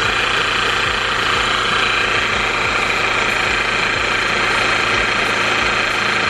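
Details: Range Rover Evoque, engine cover off, at idle: sharp tick about twice a second over heavy hiss; owner suspects the auxiliary belt tensioner or pulley, but thinks it might instead be the timing chain area or water pump; tensioner to be replaced anyway.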